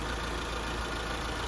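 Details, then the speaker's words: Mitsubishi Lancer "Itlog" 4G15 petrol engine just overhauled, new engine mounts, piston rings still seating: smooth, even quiet hum at idle taking light throttle, no ticking or knocking; normal idle. "Sabi, tahimik. Ayan o. Tahimik sir. Yan, suwabe na yung andar."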